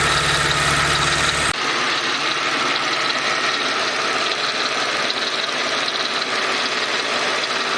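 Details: Mercedes SLK 32 AMG engine at idle, noise louder from 40°C; a steady "dadum dadum" double-beat rattle, about 2.5 per second, that quickens with rpm and disappears above a certain rpm; source unknown.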